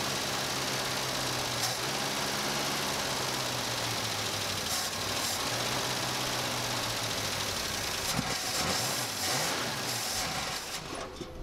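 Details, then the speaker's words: 1956 Cadillac Eldorado Seville V8, first start after 30 years in a barn, run briefly off a gravity-feed fuel tank: even low idle hum under hiss, no misses or knocks; running smoothly, normal. "all right well we got it running for the first time we weren't able to run it very long off of the gravity feed"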